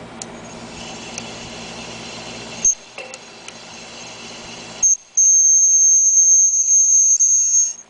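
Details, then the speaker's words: 2001 Hunter Original ceiling fan, run for years and never oiled: a thin, piercing squeal comes and goes over a weak, slow hum. Dry main bearing with nearly 1/4" play; the fan is a total loss. "this is what a hunter original sounds like if it hadn't never been oil but ran for several years"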